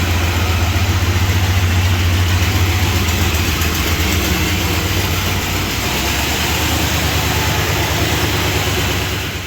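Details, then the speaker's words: 1978 Chrysler Newport, sat for an unknown time, on its first drive after a fuel pump replacement. It idles high and lumpy, struggling, with loose, fast lifter clatter of about four ticks a second. Old, junky oil is suspected. "It's got a lot of lifter clatter, but probably just because it's got old junky oil in it. It probably could use an oil change."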